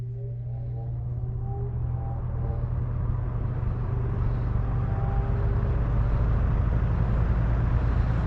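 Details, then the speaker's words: Old metal-blade box fan, previously stiff from lack of oil, after oiling and cleaning: started on low, low motor hum with rushing airflow building smoothly as the blade spins up, no rattle or scrape; normal start-up. "So I'll just start it up on low, and then for my fan gurus that like to hear them start up, I'll start it on low."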